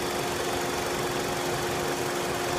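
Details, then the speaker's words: 2004 Dodge Stratus 2.4 L with P0300 random misfire, mainly under load, scope on cylinder 4 secondary ignition wire: steady idle with a slightly uneven, lumpy beat as one cylinder keeps dropping out; that plug wire is pulled for inspection as the suspected misfire cause. "we get a lot of activity that's a good signal right there good oscillation coil good charge now there's the misfire see how it just keeps dropping"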